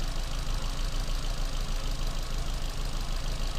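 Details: Ford Fiesta, likely a 1.25: a rough, lumpy idle stumbling about three times a second from a cylinder one misfire; cylinder one reads only about 20 psi compression.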